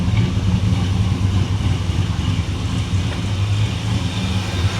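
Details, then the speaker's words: 1957 Chevy Bel Air V8, cold, carburetor just retightened, true dual exhaust with no crossover: a deep, steady burble at a settled low idle with even pulses and no misses or ticks. It may still want new plugs and wires. Normal idle. "I like where the idle sitting at sounds nice probably wouldn't hurt to throw some plugs and some plug wires in the old girl"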